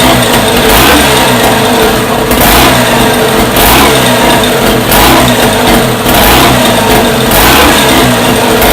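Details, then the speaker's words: First startup of a freshly rebuilt Scott two-stroke motorcycle engine, heavily oiled with the pilgrim pump checked: crisp blips rising and falling about once a second, clean pickup, no knocks or rattles. It sounds lovely and runs normally. "That sounds lovely. There you go, Billy."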